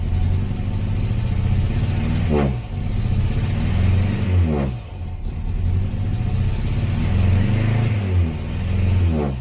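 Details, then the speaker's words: 1968 Morris Minor 1000, first cold startup of 2023 after sitting, with choke: engine revs up and drops back with a ragged, uneven beat; misfiring, not running on all cylinders, owner checking the plug leads. "we are having a misfire I'm just gonna check the [Applause] the leads what do you call them"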